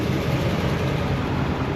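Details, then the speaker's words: 1985 Allegro RV with 454 big-block GM V8 (Quadrajet carb), just started after a starter replacement: steady idle noticeably above normal, choke probably partly on, but owner says it idles high most of the time. "it idles a little high it the chok's probably kicked on a little bit but it idles High most of the time"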